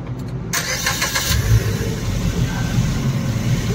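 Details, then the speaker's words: Suzuki Baleno after bending the silencer to leave a 1-inch gap from the body: starts cleanly, steady idle and revs with no buzzing or metallic rattle; previous noise was exhaust touching body, now fixed. "Accelerator दो तो friends कोई जगह पर कोई आवाज़ नहीं है अभी गाड़ी परफेक्ट है"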